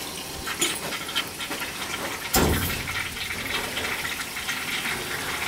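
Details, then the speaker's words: Gas boiler heating system after replacing leaking fittings: gurgling, spitting water rush with sputter bursts as trapped air is purged from the supply loops through the house. "so I'm going up through the supply through the house back and purging off the Saul's gonna do all three"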